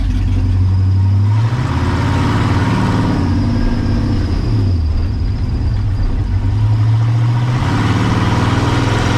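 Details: Ford Ranger with a turbo 5.0 V8 swap, driven hard after a new wiring harness and a fix for burnt spark plug wires; deep, strong pull with smooth rev rises and dips, no misfire or stumble, running better than ever.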